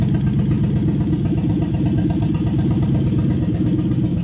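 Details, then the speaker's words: Toyota 1UZ-FE V8 run up to hot on a new non-VVTi wiring loom with stock ECU; warm idle with an uneven, chuffing pulse and irregular pops through the beat, which the owner attributes to a known valve problem in this engine. "and if you do hear it popping if you watch my engine health video you'll understand that this engine's actually got a valve problem"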